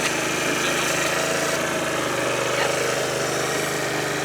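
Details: 2013 Italika Sports City 50cc moped revived after five years sitting, reassembled: small engine putters at a steady, even idle, about four beats a second, no misses or hunting; running properly.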